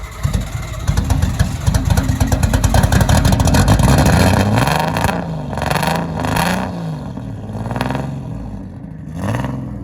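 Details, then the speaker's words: Big-turbo drift car, first drive: it revs, then hunts at idle with an uneven, stumbling beat and is still missing. Flooding or the airflow meter falling off suspected. "it sounds like it's running better but it's still missing yeah but it's like picking up on what it was yeah"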